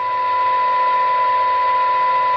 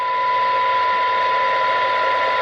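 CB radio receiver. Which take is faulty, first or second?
first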